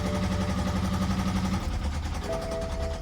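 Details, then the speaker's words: Car at auction yard, just started: rough idle with a steady fast knocking about four beats per second, sounds very bad; possibly low oil though no oil pressure warning shows, drivetrain malfunction warning lit. "all right it started but it's knocking"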